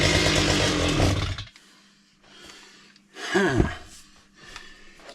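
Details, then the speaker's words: Chainsaw with a full tank, test run after repair: starts easily and barely idles, buzzing at low speed with no climb to high rpm, then dies; runs too lean on throttle, fuel starvation ruled out. "It starts really easy and it wants to run a little bit on idle, but there is no high end at all. Why is that?"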